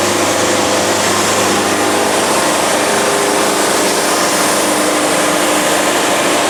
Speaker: yeah this is painful you can hear the band fighting it even hear it grinding ah so this is the definition of a ugly ass cut